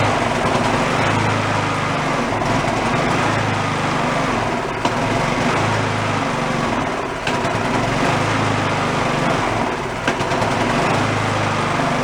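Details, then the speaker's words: Garage-sale two-stage snowblower small engine, started on choke with a squirt of fuel, runs rough and uneven with brief sags; white speck of debris found partly blocking the carburetor jet. "yep we said that carburetors nice and clean it has issues there it is"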